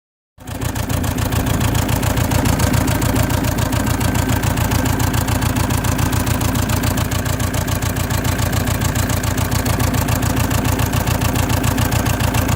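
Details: Saab 9-3 1.9 TiD diesel (2007/2008) with misfire and white smoke despite new glow plugs, alternator and battery; catches and settles into a rough, lumpy idle with an uneven clatter.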